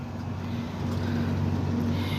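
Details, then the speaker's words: LG 1.5-ton split AC outdoor unit (model S18), after replacing part with a 256 that had stopped compressor and slow fan: steady even hum, fan motor running well, gauge pressure 50; normal running. "Fan motor बिल्कुल एकदम अच्छी तरह से काम कर रहा है।"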